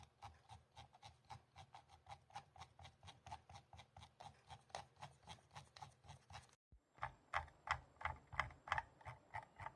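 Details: Logitech G203 Lightsync mouse moved back and forth gives a light plastic clatter about three times a second, something loose rattling inside the shell.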